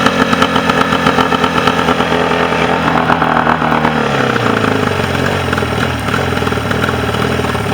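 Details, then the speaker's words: Mercury 40 two-stroke outboard that would not idle, after repair: bottom cylinder wasn't firing on balance check, now steady even idle firing on both cylinders, no stumbling, no crankcase leak; normal idle. "Run on both cylinders. And no crankcase leak."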